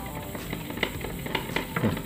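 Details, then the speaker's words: Chinese-assembled CRT TV powers on but shows no picture; steady crackling sizzle with sharp snaps, like burning, from inside the set, with a burning smell: high-voltage arcing, suspected at the flyback. "yang keluhannya menyala tapi gambar tidak muncul dan ada suara seperti terbakar di dalam"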